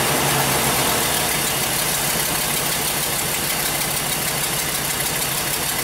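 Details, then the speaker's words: 2005 Chevrolet Express 3500 6.0 V8 box van, previously crank no start, runs after restoring 12 volts to crank sensor: rough, loping, skipping idle under hiss; misfire, cylinders 6 and 8 worst. "sounds like it's skipping like crazy here yeah we wanted data definitely sounds like got a pretty"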